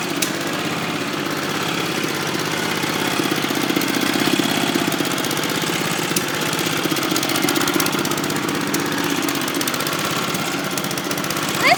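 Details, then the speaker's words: 1981 Kubota rototiller with a gasoline four-stroke single-cylinder engine, just started and quickly warmed up. Steady, even rapid chugging holding speed with no misses or knocks; the kill switch works: normal running. "is turn woohoo listen to this thing go kill switch works woohoo this thing sounds good exhaust is hot too that didn't take long to get warmed up"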